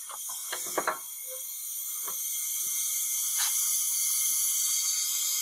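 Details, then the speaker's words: Cylinder leak-down test on a Briggs & Stratton flathead engine from a Troy-Bilt rototiller, oil slightly low: steady airy hiss under light clicks, about 30-35% leakage, air escaping at the dipstick tube, mostly past the piston rings into the crankcase. "you can probably hear it that i can definitely feel the air escaping so now that i've rotated the engine a little bit i'm down to around 30 to 35 leakage feels like most of that's coming past the piston rings"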